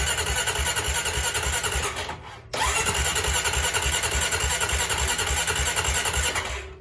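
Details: Honda Rancher 420 ATV that quit while riding and sat a week, fuel pump audibly priming: starter spins the engine in steady pulses, pauses, then cranks again without firing.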